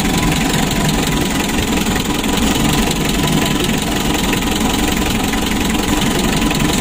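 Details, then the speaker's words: Hot Mitsubishi L300 diesel idling: heavy, shaky, uneven pulsing rough idle; severe compression leak bubbling into the radiator, suspected head gasket or injector side, with heavy blow-by. "ini sudah panas ini dan jelasnya ada kebocoran kompresi sangat parah sekali bisa kita analisa dari paking dieselnya ataupun dieselnya yang bermasalah lalu yang kedua mesinnya goncang parah seperti ini mesinnya kasar"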